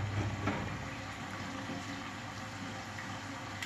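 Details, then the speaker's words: Atlantic LF 454 TX washing machine, cotton cycle, second phase of the first rinse after the timer advances: timed water intake under high garage water pressure gives a steady, uninterrupted rushing hiss with a low hum, filling to a high level; normal fill. "Come anticipato il timer adesso è scattato in avanti di una posizione ed è stato abilitato il prelievo a tempo"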